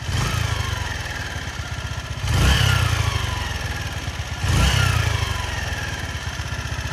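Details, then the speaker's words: Honda CG Titan motorcycle in neutral, mic near the engine, valves adjusted almost a year ago; revving up and easing off twice with a faint shallow rattle deep in the engine, which the owner attributes to worn piston rings; not confirmed. "Perto do motor, ó. Não sei se aí no fundo do vidro vocês vão ter a noção do barulho, ó. Tem um chacalhozinho fundo."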